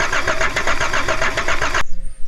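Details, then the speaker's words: Abandoned Volvo 740 D24t turbo diesel, old fuel in tank: steady cranking about six compressions a second, no start; owner suspects glow plugs lost again, replaced switch possibly burnt up. "I feel like I lost my glow plugs again I did replace a switch but I feel like it might have just burnt up"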